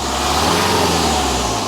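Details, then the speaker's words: BMW 3 Series E90 320d diesel just after a DIY turbo replacement, stationary rev: strong, clean rising hum with no rattles or clunks; new turbo fitted successfully, sounds healthy. "that sounds really good we changed the turbo successfully"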